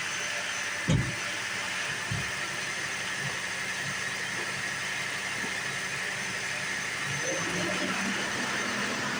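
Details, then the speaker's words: 2008 Saturn Vue 3.6L FWD, first start after valve cover gasket replacement: quick start, then a steady, quiet idle with an even hiss and no ticks, knocks or whine; sounds normal. "I don't see anything new no weirdness nothing like that sounds like it normally does so yay that's how you do that"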